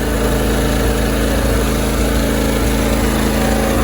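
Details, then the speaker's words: John Deere LT166 riding mower, 16 hp Briggs & Stratton V-twin, run with fuel poured into the carburetor, running on bowl fuel: steady, even putter at low idle with no misses or knocks; carburetor not clogged, engine runs cleanly. "See how low it will idle. Oh, that's a beautiful sound. V-twin purr."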